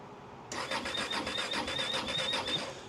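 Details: Engine cranking during no-start troubleshooting: steady fast starter churn, about two to three turns a second, no firing or catch; cranks but won't start, later starts.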